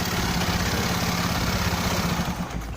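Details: Honda Beat carburettor scooter, after reassembly and a starter test: settles into a steady, smooth idle with no grinding or friction from the starter gear; starter fault was only in the starter motor (dynamo), healthy idle.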